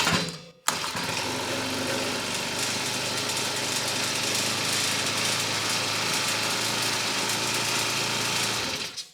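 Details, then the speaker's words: Honda GX35 engine on a Mantis mini tiller, just after replacing a hardened fuel line following a carb replacement; started on choke after priming the purge bulb, it fires and holds a steady, even buzz with no misses or surging, running normally. "well she starts now"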